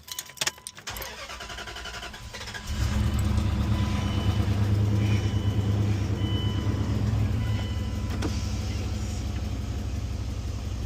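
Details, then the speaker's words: 1997-2004 Dodge Dakota 4.7L after alternator replacement: brief crank, quick catch, then smooth steady low idle with no stumble or misfire, very balanced. Normal idle. "Running great. Yeah, it sounds good. Yeah. Hi. No misfire. Wow, very balanced. Really good."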